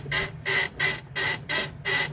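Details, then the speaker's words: UAZ Patriot leaf spring: sharp, high squeaks about three a second as the body is rocked, from the leaf spring; not the polyurethane silent blocks. "хорош вот такой неприятный скрип это очень многих вазов"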